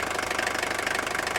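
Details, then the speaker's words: 1983 Mercedes-Benz 240D diesel at idle: quick, even, rattly ticking, the typical injection clatter of a healthy old diesel; normal idle. "so it has that typical rattle of idle"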